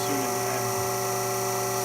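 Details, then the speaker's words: Becker VT 4.16 vane vacuum pump for a thermoforming machine, after about 2 years' shop use, restarted after maintenance and reassembly: steady even hum with constant tone, no knocking or rattle; runs smoothly and healthy. "it's probably not a huge difference or anything as might run a little more efficiently"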